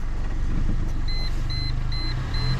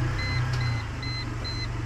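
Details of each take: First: Mercedes that hit a large pothole at night: heavy thuds about twice a second with a chime beeping as the wheel turns at full left steering lock; owner suspects a bent rim. Wheel knocking from bent rim. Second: Mercedes that knocked when steering after hitting a big pothole: after a temporary fix to the wheel/rim, steering at full lock with throttle gives smooth idle, chime beeping twice a second, no knocks.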